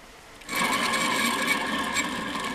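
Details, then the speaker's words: BMW E39, reportedly 16 years old with 235,000 miles, removed old alternator spun by hand: long, loose, gritty whir with a rattly edge as it coasts freely; bearings worn out, replaced with a silent new unit. "take a listen to this old alternator cooked those bearings are dunzo if this thing is really 16 years old and has 235 thousand miles on it"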